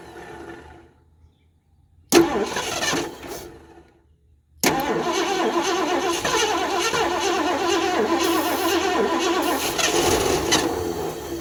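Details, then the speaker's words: 1978 Mercury Marquis Brougham 400 parts car, sat eight to ten years or longer, fed from a gas can by hose: the starter grinds and the engine coughs and dies, then runs fast and rough. The choke keeps sticking, causing a hard start. "so I'm going to put the hose back in the gas can now I bet we got fire wants to run that choke is still sticking"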